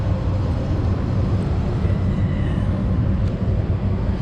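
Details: Lochinvar boiler after reassembly with air slider reset: smooth, even low rumble with no knocks or rattles, holding steady; boiler and inducer fan running normally.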